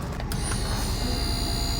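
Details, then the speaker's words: Grand Design Momentum RV new disc brake conversion, pump triggered by squeezing the truck's trailer brake controller: faint steady high whine over truck idle; pump activating normally, communicating well with the truck. "Okay, so as you can hear, when he squeezes that trailer brake controller, the pump is activating, so it's communicating well with the truck."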